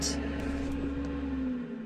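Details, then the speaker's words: Diesel heater in a van parked in northern Norway near the Arctic Circle in late June: after restart the pump runs and flame is briefly heard, but air isn't hot enough; steady fan hum with a faint falling tone as it loses flame and shuts down. "But I could not hear the initial of the flame. Ah, now I can hear it. It's going to turn off again. It's not as hot as it should be."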